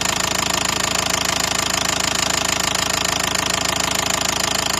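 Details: 2012 Nissan Qashqai 1.5 dCi diesel at idle: a sharp, even metallic knock about three times a second that started suddenly one morning. Disconnecting injectors didn't change it and injector return flow was even.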